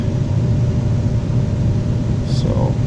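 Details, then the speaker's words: Ten-year-old central AC condenser compressor back running after being freed with a rubber mallet. Steady, even low hum with no knocking or hard-start struggle; pressures and temps good, a hard-start kit recommended but not fitted. "alright guys so we got it up and running she's golden"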